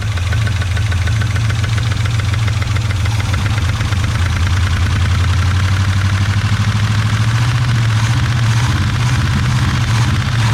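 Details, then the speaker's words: 1980–81 Chevy truck, sat about 29 years, running without the number one plug wire and timing not yet set. A heavy, lumpy low rumble with a steady rapid tapping; the owner suspects a lifter sunk or a rocker off it. Rough running with knock. "not too bad i can tell you what's wrong with it but she does run ish"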